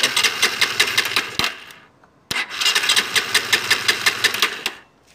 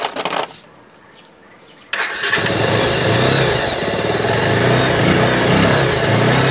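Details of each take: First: R-180 motorcycle before repair, hard starting with no electrical power: two bursts of rhythmic cranking about three beats a second, no catch; no spark from busted pulser coil, also a bad neutral sensor O-ring, both to be replaced. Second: R-180 motorcycle after replacing busted pulser coil and neutral sensor O-ring that caused hard starting and no electrical power: quiet, then engine fires at once and holds a steady even idle with a light rev blip; starts properly.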